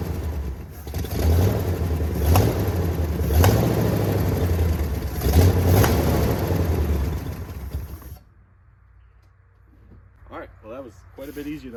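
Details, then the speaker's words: 1979 Jeep J20 V8 with uneven low compression (about 70 to 110 across cylinders), after sitting a year: revs in uneven blips with a lumpy, unsteady note before shutting off; rough running from low compression. "um so that meant the motor ran it just sound really funky and kind of just determined that I'm going to repower this thing one day"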